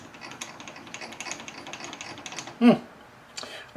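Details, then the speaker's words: Lathe cross slide being wound during belt pulley job, a noise never heard from it before, felt in the handwheel: uneven light clicking and ratcheting then louder clunks; cross slide lead screw nut found loose, needs adjustment. "you see that that's my cross slide lead screw i disengage the uh the slide from the you know the lead screw from the nut and uh man that's loose"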